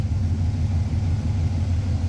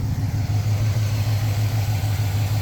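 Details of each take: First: Carburetted engine at idle, auto tune off, idle mixture leaned to 14.7 AFR: low, loping idle rising and falling unevenly, lower vacuum and RPM, unstable AFR, cylinders fuelled differently; lean rough idle. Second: Hot carbureted engine after mixture screws were set a quarter turn richer than the first onset of highest vacuum, AFR about 13.5: smooth, even, rock-steady idle with no hunting or misses. Normal idle.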